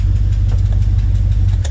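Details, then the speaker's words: 1975 Ford F350 body on a 2004 Cadillac Escalade 6.0 liter AWD chassis, after sitting about two years, fuel level unknown: deep, steady V8 burble, even low pulse, no ticks or misses; runs, drives, shifts nicely, normal idle. "Anyway, it's running. So it does run and drive."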